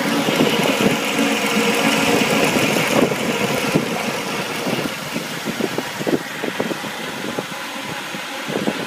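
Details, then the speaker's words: 1990 Mercedes 300SE, 3.0 straight six, warmed up after hard cold starting: even, smooth idle hum with a light hiss, slight buzz from low power steering fluid, no misses or knocks; normal warm idle, owner suspects cold idle solenoid for cold issue. "smooths right on out runs like a sewing machine as soon as it gets warmed up"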